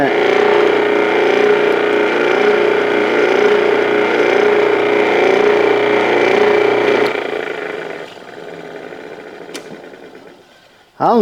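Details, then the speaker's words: Old garbage disposal that would not run, torn apart, reassembled and run for the first time: steady whirring hum with an even motor tone, then a smooth coast-down after switch-off; runs normally after reassembly. "oh I wasn't expecting that what do you think that sounds pretty good doesn't it"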